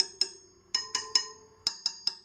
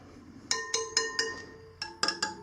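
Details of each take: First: Sur Ron Light Bee wheel spokes tapped one by one: short sharp clinks, some duller and thud-like rather than pinging; the dull ones are loose spokes needing tightening. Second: Tight spokes on a Sur Ron Light Bee wheel being tapped during a spoke check: each tap gives a clear, high metallic ping that rings briefly, eight taps in all, showing the spokes are properly tight, unlike loose ones that thud.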